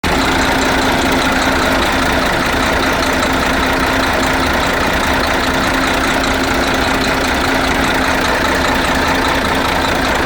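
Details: DAF 95 diesel engine after a major overhaul: even, steady idle with a smooth low rumble and no knocks or uneven beats; healthy.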